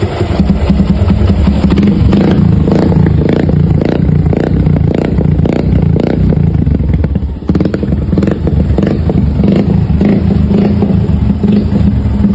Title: Piston slap sound of motorcycles.